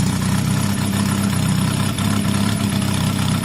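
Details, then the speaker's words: Honda CB250 bobber after carb and electrics work: steady, even thrum at idle with no misses, knocks or exhaust blows, exhaust sealed; normal healthy idle. "wow that sounds really healthy to me at the moment think our um extra extra extra expensive fix may have done the job there"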